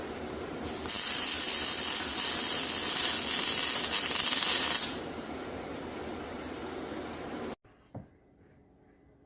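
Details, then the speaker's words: ArcCaptain MIG 205 MP multiprocess welder MIG welding an old steel bar stool, real-time sound: about four seconds of steady unbroken crackling sizzle, clean start and stop; normal MIG arc. "so you can hear this machine operate and how and hear how it uh how it does and see how it does on this Meg on this Meg Welding"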